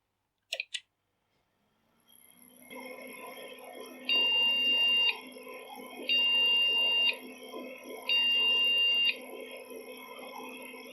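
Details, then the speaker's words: Old PC powered on with a known-working VGA video card: three long even beeps about two seconds apart over fan hum, no picture; three beeps usually mean RAM or video card, owner suspects a dirty video card port. "three beeps maybe this video card port's not too flash or needs a good clean out"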